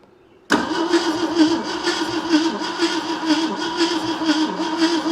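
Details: 1971 AMC Gremlin sitting since about 1984, brake cleaner in carb bowl, bump switch cranking: starter churns at steady rhythm with occasional uneven catches but never runs; no ignition found afterward, cranks but won't start.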